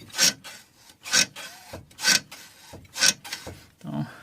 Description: Barulho de Nhec, Nhec ao passar em quebra molas. Fiesta Rocam com barulho na suspensão!